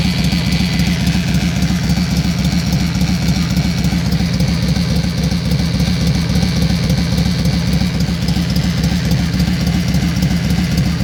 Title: Yamaha xv1600 wildstar/roadstar bad engine sound